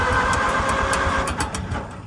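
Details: Farmall M tractor, gasoline, carburetor leaking fuel, choke on, after ignition cleaning: steady rhythmic cranking with a few coughs that never catch; owner thinks it is flooded with too much fuel.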